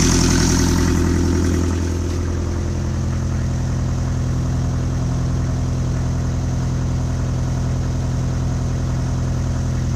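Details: 1995 Land Rover Defender 110, 2.5 naturally aspirated 12J diesel, first run after a rebuild: deep, steady clatter that settles to an even idle after a brief higher speed at the start, with no knocks or misfires; normal idle.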